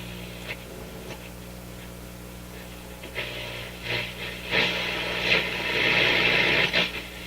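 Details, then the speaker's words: Motorola MK 56-H five-tube radio on isolation transformer after filter capacitor replaced with two 50s; loose connection gone, low steady mains hum under bumps and clatter, not reduced by volume. "Oh, it's humming like crazy. Notice the loose connection's gone, but jeepers creepers. Okay, now is the hum coming from those capacitors?"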